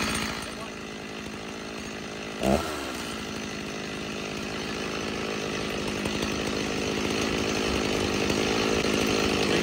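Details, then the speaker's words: Stihl MS 290 chainsaw: rough, uneven two-stroke buzz that stumbles and catches, running hit and miss and about to die; bogs and stalls, saw later found full of crud and carburetor rebuilt. "see how it's kind of hit and missed there's just gonna die again on me"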